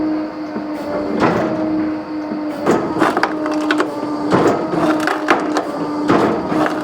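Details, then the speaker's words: Electric Kindlet Pro kindling splitter on 3-phase 415V 50Hz via VFD from 480V 60Hz, started from E-stop; hydraulic motor hum and cooler fan whir, wood cracking about every two seconds as the X blade cycles and wood advances: normal splitting. "You can hear the cooler fan start up, and obviously the motor for the hydraulics. And each time the X blade cycles, the wood advances."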